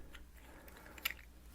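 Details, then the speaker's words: FiFine Ampligame USB microphone: brief sharp high squeak over a low electrical hum as the dry plastic part turns on the brass thread when attaching; suggested fix is multi-purpose synthetic grease. "since this is brass in here and this is plastic every now and then when you attach this watch your problem won't do it now you hear that squeaks"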